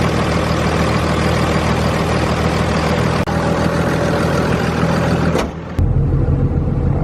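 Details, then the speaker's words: 2001 Cummins 5.9L 24-valve diesel (2nd gen) just after valve lash adjustment, heard from the cab at start-up: steady, even idle with low drone, no valvetrain ticking or clatter; much quieter than before; normal idle. "Yeah, it sounds a lot quieter in the cab."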